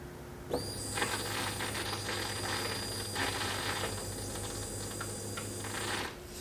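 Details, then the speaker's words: 2004 Chevy Trailblazer with crank no start, pump fed directly from the fuel pump relay: steady high whine over a low hum for about five seconds; pump works, fault is the wiring connector. "if we touch the backside of the fuel pump connector and the backside of the harness connector you'll be able to hear the fuel pump"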